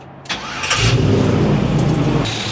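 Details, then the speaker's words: LS-swapped car after fitting a belt one inch shorter; brief crank, clean catch, even steady idle with no belt-side rattle; tensioner likely had been bouncing off its stop, shorter belt appears to have fixed it; normal start and idle. "I don't hear any more rattling all right I think putting that shorter belt on there took care of it"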